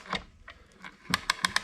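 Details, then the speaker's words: 1927 Victrola VV-4-40 talking machine after fix: a light spring held by a small screw pulls the pawl down because the original part was unavailable; crisp, evenly spaced clicks as the ratchet now catches every tooth. "pulls it down and the ratchet catches now every time. Small easy fix since I can't get the part."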